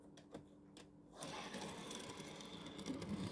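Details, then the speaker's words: Modern wagon on mixed Tri-ang/Hornby model track, Series 3 and Super 4 joined by converter rail to System 6: a light, even rolling rattle after a few clicks, with no snagging or hard knocks over the joint. It runs smoothly, unlike older wagons. "I don't know whether you can hear that on the you can hear that on there, but the you know, whereas that sounds quite smooth, your older wagon is hitting, the wheels are hitting the chairs."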